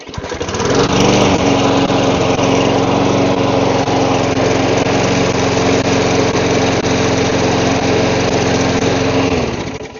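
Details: Lawn mower that wouldn't start starts quickly after carburetor cleaning and priming, holding a smooth, constant drone without surging or missing. Normal running.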